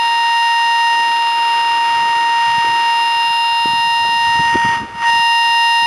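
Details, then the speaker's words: DFNA RF-null locator tracking invisible dog fence wire, transmitter grounded at electrical box: constant high tone cuts out sharply when antenna is directly over the intact wire. "you hear the tone stop right there. That's right where the wire is, and we'll follow it down here."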